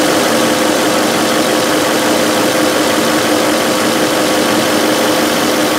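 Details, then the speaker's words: 2005 VW Touareg 4.2L V8 with lean faults and a stiff brake pedal: steady idle with an even hiss from a big split in the brake vacuum hose running from the vacuum pump to the manifold and booster. Vacuum leak. "here it sounds like there is a pretty heavy vacuum leaf which would explain our stiff brake pedal and could potentially affect our fuel trims"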